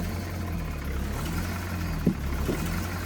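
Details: Foretravel Grand Villa motorhome diesel, possibly a big Detroit V8, 50,000 mi, just started after over a year unused, 50°F morning. Low, steady drone at an even idle with only brief handling knocks. Sounds healthy.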